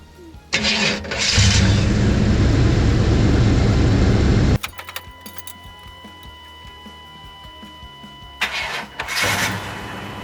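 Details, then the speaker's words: 1996 C1500 Suburban that was misfiring and cutting out; after new OEM crank sensor, cam sensor and coil pack, brief crank then fires straight away into an even, deep steady idle, crank sensor confirmed as the problem. "oh so that was definitely the problem because it fired up straight away"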